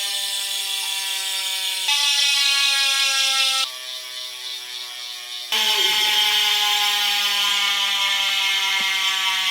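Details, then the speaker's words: Aero road bikes S-Works Tarmac SL8, Trek Madone SLR, Giant Propel SL and Canyon Aeroad CFR coasting: fast even freehub ratcheting in four different pitches, one per wheel; normal healthy pawls. "Mais il y a autre chose que vous pouvez entendre, c'est le bruit de roue libre. Et cela distingue clairement les roues."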